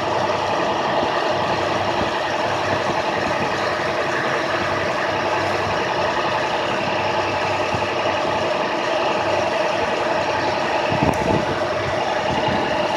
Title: 2006 ic ce handicap high idle b